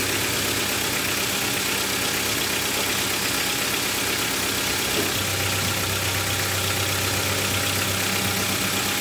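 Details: Honda Civic 1.4i started after an oil and filter change: halfway through the engine catches and settles into a steady, even low idle under heavy background hiss, running normally.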